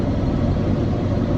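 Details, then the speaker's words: Chevy 454 big-block V8 with original carburetor, cold start at -35°C after several no-starts, extra fuel in cylinders, fast idling and warming, small exhaust leak; deep steady even rumble, no knocks or misses; normal idle. "Let this run for a bit because it uh had some no starts and so there's a little added fuel I think in the cylinders and whatnot, but she's running nice now."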